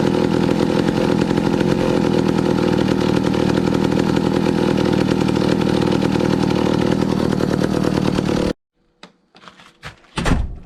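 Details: 1962 McCulloch 1-46 chainsaw, revived after it had no carburetor, fitted with a scavenged old carburetor and intake part: crisp, even two-stroke buzz holds steady with no misfires or stumbles, then cuts off cleanly, so normal running.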